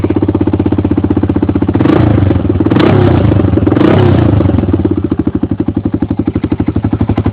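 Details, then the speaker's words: 1993 Honda 300EX single-cylinder ATV before rebuild, stock exhaust: loud, open, popping exhaust about four pulses a second at idle, barking harder on blips; muffler baffle blown out. "Stock exhaust. Baffle's blown out."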